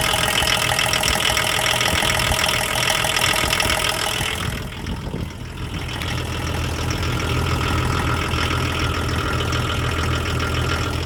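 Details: Diesel at idle with a dull, fairly steady knock about three times a second through the clatter, disappearing at higher revs; owner suspects crankshaft bearing or rod knock. Engine knocking at idle.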